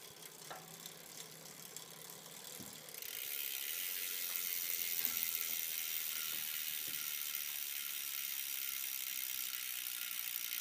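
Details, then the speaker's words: Campagnolo 11-speed drivetrain, a little dirty, in the worst rear gear with the front derailleur not touching: faint ticks, then loud steady high-pitched rasping buzz from the rear while pedalling, with hard vibration felt through the pedal. "and here we are just buzzing like mad back here the budging that you're hearing is coming from the back"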